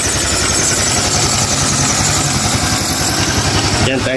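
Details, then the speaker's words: Honda Click 150i scooter after overheating with coolant lost and thermostat bypassed, now overhauled and coolant refilled: starts on one click, loud but even single-cylinder idle with a steady beat, quiet, no knocking. Normal idle. "tahimik na siya. Hindi na maingay. At one click na rin siyang umandar."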